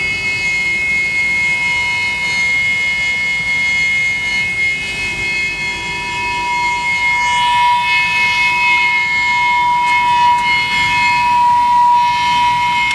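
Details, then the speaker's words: Trane gas rooftop unit (RTU) with a negative-pressure gas valve: very loud steady howl with piercing fixed tones over the blower rush from the combustion blower, no rhythm; caused by incorrect gas manifold pressure, reading about 0.0 instead of -0.2. "Well, that's interesting. Very loud howling noise coming from this combustion blower."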